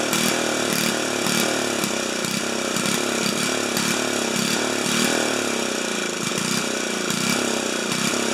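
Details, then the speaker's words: 4HP horizontal-shaft Briggs single, just after muffler was screwed in at 45 degrees because both studs broke; pops along briskly, surging gently about twice a second, sounds better and healthy; normal running. "make sure i'm not going to bang my elbow that sounds better"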